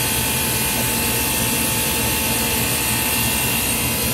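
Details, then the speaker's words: Ice machine not making ice, after control board replacement: contactor engaged, compressor and water pump running with constant hum and hiss, no knocking or clatter; normal compressor operation. "so we got the contactor in and hear the compressor running you can see the pump there running"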